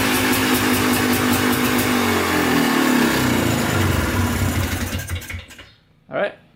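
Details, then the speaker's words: Polaris Trailblazer 250 two-stroke quad after cheap eBay top-end kit and carb rebuild, first break-in run: rises and falls cleanly with throttle blips, then settles and shuts off; revs freely, stays running, sounds good. "sounds pretty good um actually stays running so that's good"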